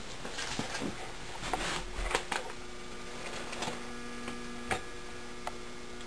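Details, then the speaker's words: Regent yard light ballast for a 175 watt Sylvania metal halide lamp whose starting electrode connection is broken: a steady low electrical hum under light handling clicks; normal ballast hum. "let's plug in the ballast can hear it humming away"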